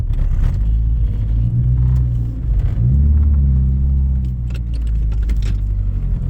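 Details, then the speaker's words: AWD turbo car (awdtsi), interior recording with much rattling: deep rumble under acceleration sags and hesitates, stuttering badly, won't build boost, nearly dies later, no check-engine light; engine stutter under load, suspected misfire. "okay right now at 80 Seconds the car stuttering pretty bad we are at 87 seconds the car does not even want to build any boost"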